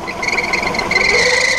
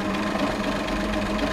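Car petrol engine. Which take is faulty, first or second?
first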